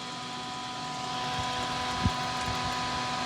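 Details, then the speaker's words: Former inspection terminal PC powered on: steady loud fan hum with constant tones, no speed change, nothing on screen; fan runs flat out at power-up, cause unknown. "spinning nothing's happening in the screen it sounds like it's very upset"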